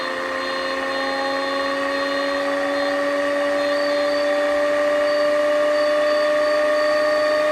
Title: Pfeiffer TMU-1001P Bad Bearing?